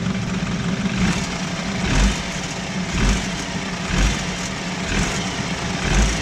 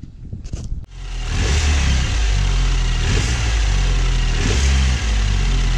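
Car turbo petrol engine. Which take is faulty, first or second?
first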